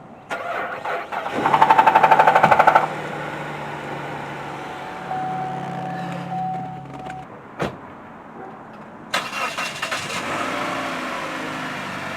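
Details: 2009 Cadillac CTS cold start: starter cranks about a second, engine catches, then light rattling over a rough cold idle; suspected timing chain noise, car later dies once warm.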